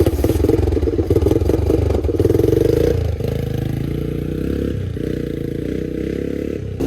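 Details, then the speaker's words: Honda Big Red three-wheeler single-cylinder after fitting a carburetor and adjusting tight valves: thumps pick up with a short rev, then settle into a steady, even beat with no knocks or ticks; slightly smoky but running healthy. "This engine sounds good. It's a little smoky"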